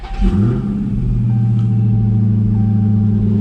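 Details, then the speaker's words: 2019 Dodge Charger Hellcat V8 after installing an E85 flex fuel kit module, brief run to avoid a hot motor: quick catch settling into smooth, steady deep idle, no misses or knocks; module box working, healthy start. "So as long as it starts good this time, then we know the box is working. Then everything's working fine."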